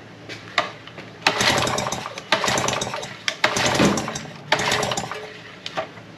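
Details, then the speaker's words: Yamaha 5 hp single-cylinder outboard: about five pull-start bursts, each a quick rattle that dies without firing. No spark because the kill-switch clip was not fitted. "I didn't see any spark, but something that is the reason is because on this engine, there is a kill switch right here, which you have to pull it out in order for that to have spark."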